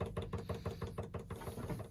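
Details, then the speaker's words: Chinese diesel heater's magnetic-coil piston dosing pump priming with kerosene while air bubbles are bled from the fuel line; fast, even clicking of about six ticks a second, normal priming tick. "this is going to be a bit of air inside the the magnetic coil whereas there's like a piston that goes backwards and forwards is what you can hear ticking there's a piston go backwards and backwards and forwards working on a magnetic coil"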